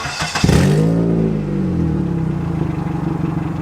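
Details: Before-repair recording of a car's loud, raspy exhaust manifold leak: engine blips up, then settles into a rough, pulsing drone. Owner's dad suspected the exhaust; an exhaust specialist repaired it.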